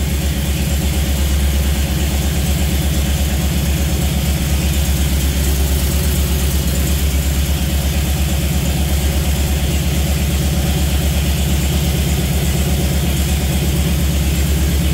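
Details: Jeep CJ5 with Holley EFI, first start and break-in, mechanical oil gauge showing 55–60 psi: deep, steady idle with even pulse, no knocks, ticks or hunting; normal idle, starts easily.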